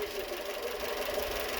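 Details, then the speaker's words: Renault Twingo 2 D4F with engine light on, running on three cylinders, shaking gear lever and power loss, after plug work: uneven idle with irregular low thumps; misfire persists, an injector or coil suspected. "On a toujours le bruit. Probable aussi un injecteur, parce que le bruit c'est pas normal. Pas juste les bougies."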